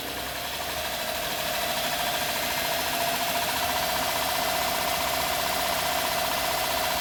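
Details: 2011 Honda Pilot at idle, customer complaint of strange engine noise and stinky smell: sharp regular knock about four per second from the engine; engine looks normal, knock source not yet pinned down.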